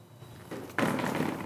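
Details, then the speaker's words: Bicycle drop test, rear end lifted and dropped: solid thump without loose rattle, seems normal; the clunking was traced to the front end instead. "seems pretty normal back here not a lot of noise"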